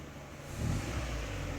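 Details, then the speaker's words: Hot Citroën C4 2.0: engine rises from idle to a steady rev and holds; the oil light goes out when revved and returns at idle, reading insufficient oil pressure; oil pressure loss, most likely at the camshaft bearing. "luz de aceite se apaga la luz del aceite se apaga y cuando lo suelto se vuelve a prender la luz de aceite y que dice presión de aceite insuficiente o sea que el problema que tiene este motor es que tiene una pérdida de presión de aceite"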